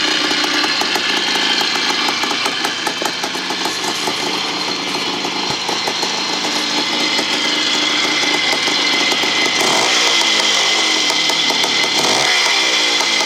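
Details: 1975 Bultaco Sherpa T 350 type 159 two-stroke single after rebuild: crisp, even popping at a steady fast idle with clean throttle blips, running healthy.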